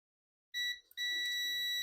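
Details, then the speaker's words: Dell Inspiron 15 3542 motherboard (Wistron Cedar 13269-1 FX3MC), won't power on; black probe on ground, red on the 19 V rail, steady continuous beep; rail dead-shorted to ground. "so you can see put the black prob down and the red here on the 19 par the 19 parl is shuted to ground"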